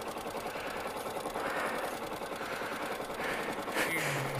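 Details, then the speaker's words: Motorcycle, warm, already idling at 1,300–1,500 rpm before riding: quiet, quick popping putter at steady idle with no stumbling or surging. Normal warm idle. "Usually when you've got a bike, if it's in the morning, you'll leave it to warm up, but mine's already idling."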